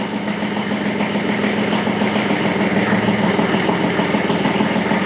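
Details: 40-year-old mid-80s Kubota F2000 front-mount mower, three-cylinder diesel, started after 10-second glow plug preheat, transmission in neutral: even diesel chatter at steady idle, no misses or knocks; engine running healthy. Normal idle.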